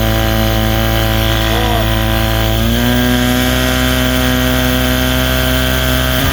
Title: 1979 35 hp evinrude misfire or clutch dog slip